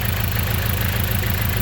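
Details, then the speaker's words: Petrol engine idling with a low, slightly uneven chug, misfiring and smelling of unburned gas; a failing ignition coil is suspected and being checked. "as you can hear now the engine is a misfire and joking it's not and it's smelly"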